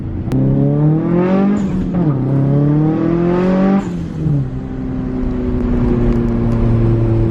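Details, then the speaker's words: Nissan 240SX turbo after fixing a boost leak, on-road pull reaching full 18 psi boost: engine climbs smoothly, drops on the shift and pulls again with steady whoosh; normal turbo pull, though full boost is intermittent on other pulls. "I don't know if you can see the 18 PSI or this made me a very happy guy sounds like we're pretty good"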